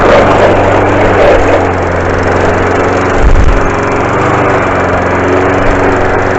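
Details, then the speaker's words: 5hp 3800psi petrol pressure washer: engine roars steadily under load, then a brief low shudder as the trigger is released; it stops when held back against pressure but judders coming off it, cause unknown. "You can stop it by putting pressure on it and holding it back. It will stop, but it makes a juddering noise when you come off of it."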